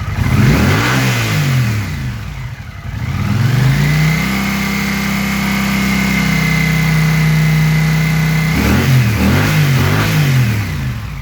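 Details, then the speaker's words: Motorcycle with rebuilt Sloan CX carburetors, slightly warm, idling at 1100 rpm: crisp rev rise on each throttle blip, settles cleanly back to even idle with no stumble or hang. "As you can hear, it's responsive and sets right back down, and away you go."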